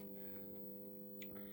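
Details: Solis 3.6K-2G grid-tie solar inverter on variac and isolation transformer test setup, generating roughly 23 to 69 watts: low steady hum with higher tones above, no buzzing or clicking; inverter running normally.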